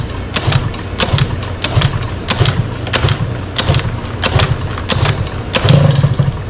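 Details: Sym DD50 scooter with a freshly built Polini Corsa Mini two-stroke, after fixing small faults and rejetting: engine catches and settles into a popping, slightly uneven putter with regular bursts; normal start.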